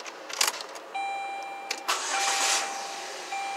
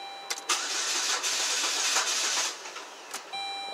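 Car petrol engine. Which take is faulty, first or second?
second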